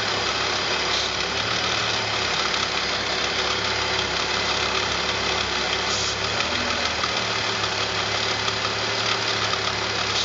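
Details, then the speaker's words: BMW 330Ci E46 petrol engine idling with a strong steady hiss; intake cleaner sprayed around the air-intake boot to the throttle body shifts the idle, confirming a vacuum leak. "As soon as we do spray this on, idle changes. So looks like we have a vacuum leak."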